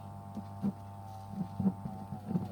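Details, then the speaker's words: Repaired 1956 vintage electric fan, first power-up after reassembly: smooth, steady mains hum with an even motor tone and a few soft handling knocks; the fan runs normally with plenty of power. "yeah that's got heaps of power oh that is a success i'm very happy with that"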